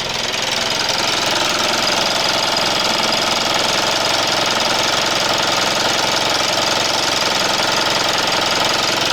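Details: 2012 Mitsubishi Outlander 2.2 DI-D diesel with intermittent EGR code P2413, cold idle with revving: rapid steady clatter about three to four knocks a second; EGR vacuum line refitted, EGR pipe cold then warming; source undiagnosed.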